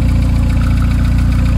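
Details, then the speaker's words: Car with almost 300,000 km and no inspections, left standing: steady, even low idle rumble with smooth regular pulse and no knocking; engine healthy. "der motor ist kerngesund nach knapp 300.000 kilometern"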